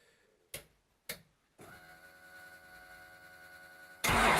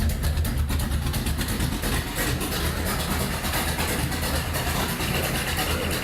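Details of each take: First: Datsun with Magnum V8 and newly installed supercharger, rewired harness, first start attempt: two sharp clicks, steady whine, then loud cranking that never catches; engine flooded as the ECU keeps spraying fuel, likely from the ignition box signalling excess rpm. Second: Datsun Magnum V8 with new supercharger, charge piping unhooked and no air filter, rewired ignition, started by powering the ECU after cranking begins: deep lumpy idle with steady beat and supercharger hiss on top; normal idle.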